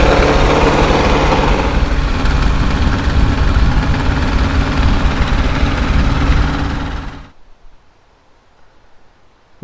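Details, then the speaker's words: 1968 International 1500C dump truck, V8 (possibly 345), first start after about 20 years sitting: deep, uneven lumpy beat that won't settle to idle; revs up and down but wants choke, owner suspects dirty carburetor primary jets. "it uh doesn't like to idle right now I can rev it up and down but it wants a little bit of Choke uh maybe the primary jets are dirty in the carburetor"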